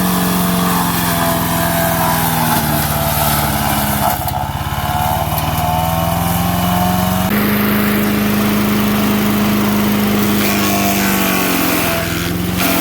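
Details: MTD 5 HP chipper/shredder, probably 1990s, after carburetor kit repair, chipping branches: engine holds a high buzz, drops pitch and labours as branches go in, then rpm recovers when feeding is backed off; working properly.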